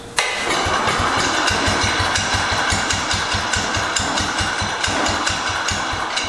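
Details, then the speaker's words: 1968 Cub Cadet 122 with 12 hp Kohler, warmed up, carb adjusted, air filter refitted, running unchoked after old gas burned out: single-cylinder catches and settles into steady even idle with regular beat, no misses or knocks. "so I got it to idle and actually idle's pretty decent now and I threw the air filter assembly back on it runs pretty good"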